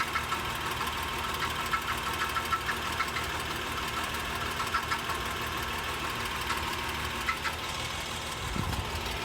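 Steady idle with a light, uneven metallic rattle riding over it, a tap every couple of seconds; a rattle of unknown origin.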